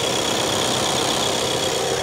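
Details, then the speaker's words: 2024 Skoda Superb Combi, 2.0 TDI 150 hp diesel, just started at cold idle, heard from outside: steady, even clatter with a bright ticking edge and no misses, normal diesel idle. "ah oui ça claque ça claque ça claque ça claque ça claque on l'entend claquer"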